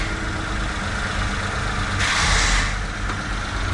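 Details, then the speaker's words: Kei truck at idle during a level 1 inspection after idle speed adjustment (had been too low, then too high); small engine holds a steady, even idle with a brief air hiss, now correctly set: normal idle. "Yeah, it's good."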